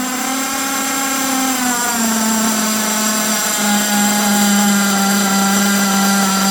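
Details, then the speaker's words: HPI Savage nitro RC engine on its original exhaust: high steady buzz, then pitch drops and wavers between two speeds, a double idle; needs carb tuning, to be done after fitting a performance exhaust. "heard the double idle there. I know that's not right, but we'll have to tune anyway once we fit our new performance exhaust."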